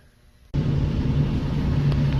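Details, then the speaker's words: Ford EcoBoost idling with a steady, even hum and no chirp or ticking, after repair. The chirp had been exhaust leaking past a broken exhaust manifold bolt; the manifold and bolts were replaced and the noise is gone. "and now it doesn't make the noise"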